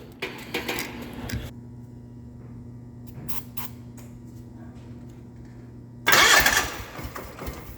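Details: 1989 John Deere 420 garden tractor cranked on ether with an auxiliary fuel tank; brief catches that won't sustain. Owner suspects the fuel pump is losing suction through an open fitting. Cranks and stumbles, will not keep running.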